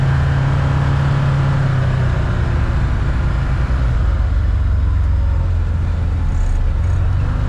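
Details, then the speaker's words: 2022 Can-Am Commander 1000R on test drive at speed after wheel bearing replacement (previously chattered and screeched at speed): low steady engine and road rumble, no screech or growl from the wheels; bearing normal. "Before it make an awful screeching noise whenever you get up to speed. Nothing. Used to."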